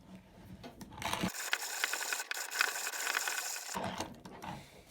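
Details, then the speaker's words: HT Armin hand coffee grinder in maple, 1945–1950, grinding 7 g of beans on finest setting, about 22–23 handle turns: dry, gritty, even, unforced crunching; grinder working properly, classic fine grind. "So, we got about 22 or 23 turns of the handle there on the finest setting."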